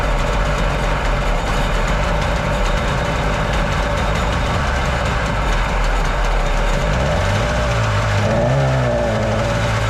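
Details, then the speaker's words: Jet boat engine whose carbs are suspected to need rebuilding, after carb rebuild on the other engine; a kinked choke line was sticking. Low, uneven two-stroke drone wavers and stumbles and won't hold a clean idle; owner also notes a top-end bog. Rough idle. "thinking I might have to take these carbs off on this engine and rebuild them because that one's running great smooth that one's running real good this one not so much this one's not wanting to idle it kind of has like a high-end bog top end bog"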